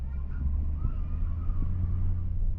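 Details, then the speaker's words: 2017 Ford F250 6.7 diesel with BD Diesel high idle switch, remote-started with the switch left set; steady even diesel rumble at preset high idle of about 1250 rpm, no surging or misses. "It starts wherever you left that off, wherever you left that, and help hit the, and boom, right back to 1250."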